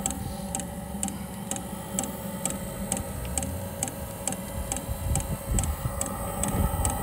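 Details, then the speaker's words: Espar hydronic coolant heater on an International truck, suspected to have debris chunks inside: after the igniter works it fires, giving steady even ticking about twice a second over a low burner rumble; lit and running normally. "[Music] to another [Music] yep it's fired alright victory"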